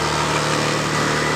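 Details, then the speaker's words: Honda Beat ESP scooter that sputters while riding despite a roller replacement elsewhere: on starting, the idle suddenly climbs and holds a steady fast idle with no throttle applied. "ketika saya hidupkan tiba-tiba langsam dari motor ini langsung tiba-tiba naik seperti"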